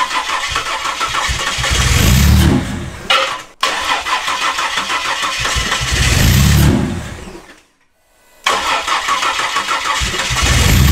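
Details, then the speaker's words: Ford Falcon with Barra turbo engine swap, first start attempt: three long bursts of steady starter cranking, each dying away without the engine catching; cranks but will not start. "again one more time try to keep it running I don't know why it's not running it's still nothing"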